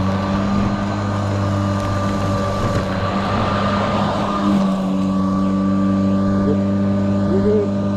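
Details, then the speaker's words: Four-year-old Kobalt 80V Max electric lawn mower: a steady motor hum under cutting load sags slightly in pitch as the weak battery nears depletion. The motor audibly slows just before the battery dies; the battery is worn out. "And I don't know if that's this battery or not, but you get decent power all the way through, but you can kind of hear it audibly slow down right before the battery's about to die."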